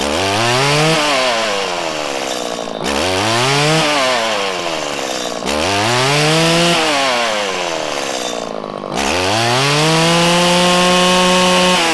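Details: 1997 Stihl Pro Series FS two-stroke trimmer during carburettor tuning: the low-speed screw turned too lean makes revs climb, then stumble and fall back on each blip, breaking up with a larger dead zone. It is then backed out a sixteenth.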